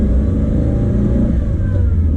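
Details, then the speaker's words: 2003 Mitsubishi Evo 8 with new exhaust manifold: idle set at 1148 rpm intermittently sags, dipping as low as 500 rpm when stopping before bumping back up; low uneven rumble, cause unknown. "right now it is idling exactly at where it's supposed to be right so 11,00 and it's the line is between 11 and 1200 right now so 1148 is what it's set to it's idling at that that but then it drops and I don't know why"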